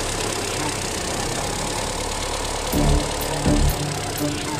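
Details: VW New Jetta EA211 engine after replacing noisy camshaft rocker arms and hydraulic lifters (lifters bled down before fitting): smooth, steady idle without lifter ticking, music behind; top end quiet and even. Water pump found leaking coolant.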